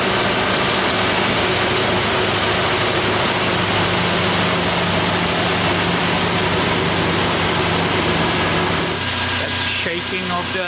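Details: 1997 Toyota 4Runner, 5VZ-FE V6 with 270,000 miles, after repairing a P0304 cylinder 4 misfire including new plug wires: steady, even idle for about ten seconds with no shake or skipping, running smoothly on all cylinders.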